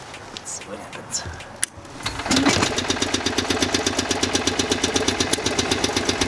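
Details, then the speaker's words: Generator on a 1972 Winnebago Indian D22 (Dodge M400 chassis), gravity-fed from a cup of gas, bad 30 A fuse jumped: cranks briefly, catches about two seconds in, settles into steady even putter; runs normally. "Fuck yeah, so the generator works."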